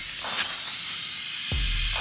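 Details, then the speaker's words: Heat pump that suddenly stopped cooling, found with no refrigerant and pressurized with nitrogen: steady high-pitched hiss of nitrogen whistling out from inside the unit, pointing to a refrigerant circuit leak. "something going on in there sounds like the nitrogen is whistling out from the inside so let's go ahead and pop this top and see what's going on"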